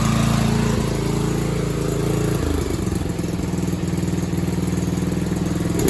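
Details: Used Scag mower with carburetor damage, including a stripped jet and a leaking needle seal, still leaking gas, on its old spark plug, at full throttle and full choke: single-cylinder chugs that stumble and change pace, never settling.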